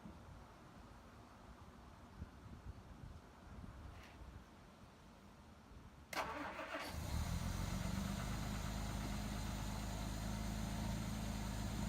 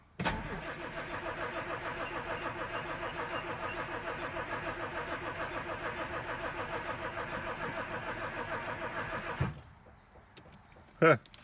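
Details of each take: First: 1967 Jaguar Mark II, off the road 20+ years, after valve cover work: starter engages and the engine catches into an even, steady low idle. The RPM reading is about 9.5; it runs cleanly, though the overflow is spewing. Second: 1967 Jaguar Mark II, off the road 20+ years, after valve cover work: the starter churns steadily for about nine seconds but it never catches, and fuel is leaking. Crank, no start.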